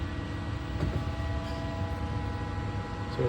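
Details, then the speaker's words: Volvo electric mini excavator, key on, seatbelt plugged in, joystick down so hydraulics are live: electric motor spinning the hydraulic pump, a steady low hum with fixed whine tones, no knocks or surges; lifting the joystick shuts the motor off. Normal pump running. "electric motor's still spinning the pump. The minute I pop that guy up, it's off."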